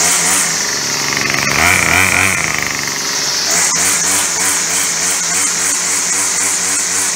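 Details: Yard Machine Y2510 two-stroke string trimmer started via drill after broken pull-start, after pumping primer: high steady buzz settling into even run, no misfires; runs normally.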